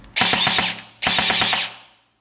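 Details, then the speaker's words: Guarder AKM airsoft rebuild, replaced gearbox and AOE buffer, test before installing in receiver: two short bursts of crisp, evenly spaced clacks with clean stops; gearbox functioning normally. "I'm liking how this gun is shooting. I mean, this gearbox is functioning."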